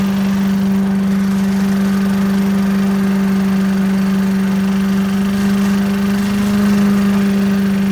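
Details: 1980s Billy Goat vacuum single-cylinder engine after fresh fuel: steady even drone, clean unchanging pitch, no misses or knocks; needed extra pulls, owner suspects low compression; normal smooth running.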